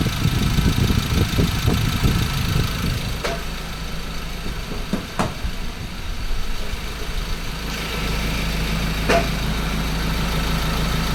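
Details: 2014 Ford Ranger 2.2L diesel idling with an uneven rattle over the clatter, then briefly revved; cause of the engine rattle unknown.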